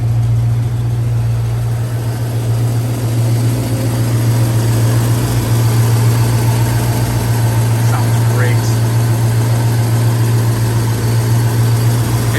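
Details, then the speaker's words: Restored 1965 Ford Mustang C-code 289 V8 with C4 automatic and new GT dual exhaust: steady, even low burble at idle with no misses, knocks or ticks; healthy smooth idle. "doesn't that sound good yeah it's a beauty"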